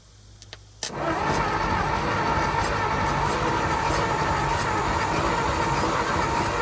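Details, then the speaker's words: 1949 Ford truck, Thunderbird 312 V8, sat about 45 years, after cleaning points, old coil, with gas added: starter churns with slow uneven beat but never fires; owner suspects stuck valves or no spark from the points. "Probably some stuck valves. I guess the points weren't getting spark. Okay, something ain't right."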